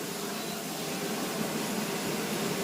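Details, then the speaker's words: Elica kitchen chimney hood venting directly, blower on high: loud steady rushing roar with an even hum underneath, no rattles; normal but noisy high-speed fan. "चिमणीचा तोटा आहे आवाज खूप देते आता मी बोलत आहे तुम्हाला कसा आवाज येतो बघा आता याच्यावर एवढा आवाज आहे वाढवल्यानंतर"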